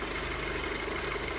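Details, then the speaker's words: 2007 Audi A4 2.0 FSI, 141K miles, idling after engine rebuild: steady, even idle, slightly high but dropping below 1000 rpm, no misfires or check engine lights, slight shimmy; ECU possibly still recalibrating. "no more misfiring it's dropping down below a thousand rpm still a little bit higher revving than i'm used to but that's something that can be easily fixed"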